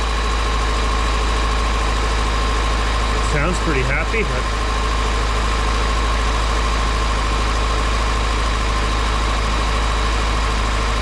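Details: Carbureted car being prepared for a Route 66 cruise, first start after replacing the mechanical fuel pump with a new universal electric pump holding about 7 psi: low, steady idle with an even beat and no stumbling, running smoothly.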